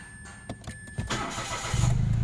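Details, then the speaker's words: Mitsubishi Mirage G4 sedan with hard starting, especially after sitting unused (spark plugs suspected flooded), restarted after a 20-minute road test with the A/C on, then A/C and engine switched off: a few clicks, brief crank, fires at once into an even idle; normal start. "Okay. Dali na. Ibig sabihin doon lang."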